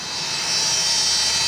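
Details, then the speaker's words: Cooling fan (San Ace 38) in a GE 3500 W power supply of a GatesAir ULXTE UHF solid-state transmitter: steady high raspy whir with thin whine; bad fan bearings, fix is fan replacement. "so if you can hear that that is the wonderful sound of some bad bearings"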